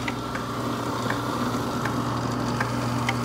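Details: 2020 Somerset dough roller: steady motor hum with faint uneven ticking from inside the roller, new since this morning; releasing edge pressure only reduced it; cause unknown.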